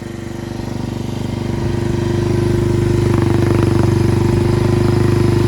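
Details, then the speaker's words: Yamaha 225DX Tri-Moto three-wheeler that hadn't run in a long time, first start, in neutral, smoke expected for a while: even, steady single-cylinder idle firming up as it settles, no clatter or valve tick at the head. Carburetor still needs tuning. Normal idle. "Sounds good too. The engine's not clattering. No valve tappage."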